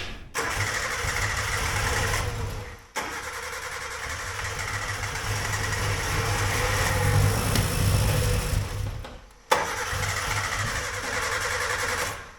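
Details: Suzuki Samurai abandoned for 20 years, carburetted, fuel gauge reading empty and bad hoses found: three cranking bursts at three to four beats a second, never firing; suspected fuel-starved no-start.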